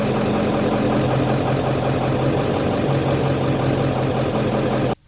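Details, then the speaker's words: Ford 7.3 Powerstroke diesel at idle: slow, slight rise and fall in engine speed, the surging idle typical of a failing injection control pressure (ICP) sensor; fix is replacing the ICP sensor. "so to recap that is the ICP and that is what that Idol is going to sound like"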